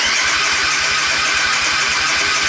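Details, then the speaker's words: Suzuki Intruder 125 cranks but won't start: starter spins steadily with even pulses, never firing; ignition module voltage drops from about 10.7 V to about 8 V while cranking, too low for the module to work (needs 12–15 V). "więc już ten motocykl nie chce odpalić za chiny ludowe nie jest to nie do przeskoczenia naprawdę niskie napięcie moduł po prostu nie możesz tego wygenerować"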